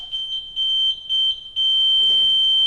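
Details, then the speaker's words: Pride Baja Wrangler 2 mobility scooter powered on with a neutral lever flipped down: short high-pitched beeps, then one long tone, warning that it will not drive in neutral until both levers are back in gear. "Now, the scooter will not drive in neutral. So if a lever gets flipped and you turn the power on, it'll make this sound."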